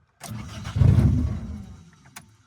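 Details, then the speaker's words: Toyota 4AGE engine in a 1975 Corolla KE35 after head gasket install and rebuild, no exhaust on the manifold: loud open-manifold bark as it catches, runs lumpy and uneven about a second then dies; ignition timing is badly off. "Okay, so timing is bad, obviously."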